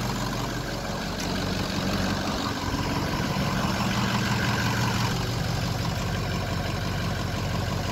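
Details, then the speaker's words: Ford 6.0 diesel crank-no-start, fired up after an air leak test showed no leak and the questionable old IPR was refitted, ICP voltage about 0.31: steady, even, smooth low-rumbling idle with no knocks or misses. "i just fired it up so here there we go she's up and running"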